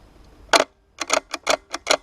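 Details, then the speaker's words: G&G L85A2 airsoft rifle after spring change, in semi-auto: six or so sharp dry clicks about a third of a second apart with no motor whir; gearbox never cycles, owner blames gearbox gears not the spring; stronger batteries reportedly help. "but now it works I don't have semi-auto at all let's see it just fails fire try some of it again"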